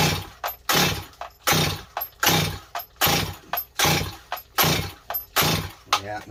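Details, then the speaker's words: Rebuilt Stihl 025 chainsaw with new Meteor top end won't start: repeated pull-cord yanks about one a second, engine never fires; air leak and carburetor to be checked; no-start from fuel starvation. "she doesn't want to go not going to go you guys"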